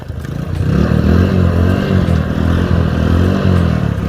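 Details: Motorcycle that would not kick-start despite spark and plug, fixed by push/bump starting in gear with clutch: engine catches and holds a steady, even beat through light revs with no misfire or popping; normal running.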